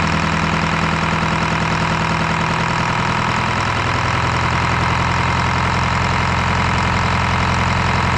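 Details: Detroit 4-53T turbo two-stroke diesel after swapping failed 9G90 injectors back to 7A77s and replacing loose, broken diesel suction hose clamp before primary filter: steady, even idle, smooth unbroken drone, no misses or knocks; normal healthy idle.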